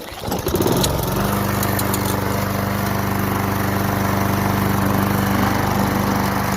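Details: Craftsman 22-inch mower, 5.5 hp Tecumseh, sat about 10 years, after carburetor removed and cleaned (worn bowl gasket, plugged bowl-nut jet), started with primer: catches after brief pull, settles into steady even drone, no misses or surging; running healthy.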